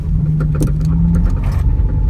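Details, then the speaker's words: Front-wheel-drive car, steering wheel turned to full lock: low engine and road rumble with scattered sharp clicks, constant rattling; suspected worn outer CV joint, boot worn out, to be replaced. "you turn your wheel to the max at the side and you can hear a constant rattling sound might be your outer CV joint is bad so you need to replace it"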